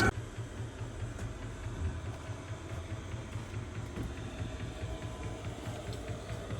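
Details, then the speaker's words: Air heater in a 2006 Chevy 3500 school bus RV conversion, fuel pump mounted outside the vehicle, heard from outside: quiet steady ticking a few times per second over a low hum; normal fuel pump ticking. "pump ticks for some people you might not even notice it for me I I put the fuel pump outside of the vehicle I'm kind of a light sleeper with stuff like that uh it goes tick tick tick tick tick literally the whole whole entire time it's running"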